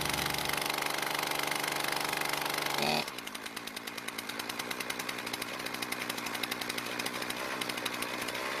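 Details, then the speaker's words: Poulan Pro two-stroke trimmer, primed: steady buzzy idle, pitch flares as throttle opens then cuts out; lean stall, idle mixture screw to be richened a quarter turn counterclockwise. "since it died when I squeeze the trigger we'll need to use a special spline screwdriver to add more fuel to the engine when at idle"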